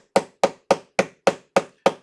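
Crisp, evenly spaced single ticks, about three and a half a second: a mechanical watch running normally.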